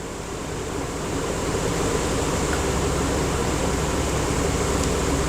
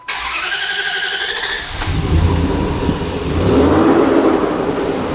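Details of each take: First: 2004/2005 Dodge Dakota with a rough idle: starts right up without throttle and idles steadily with a smooth, unbroken drone and no misses; exhaust gases now show lambda 1 and trims near 6%. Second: 2004/2005 Dodge Dakota with a rough idle on start-up: cranks, catches and flares, then settles into an uneven, lumpy run. The EGR valve is stuck open though not commanded, so the scan tool shows zero EGR flow.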